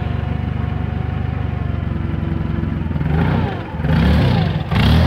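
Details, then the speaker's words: Toyota LPG forklift idling unevenly, surging and dipping: mixture too rich from the gas regulator knob opened too far; fixed by closing the knob until the engine runs steady. "okay so if you have a rough idle I'm here you're gonna go left or right depending on if it has too much gas or too little gas"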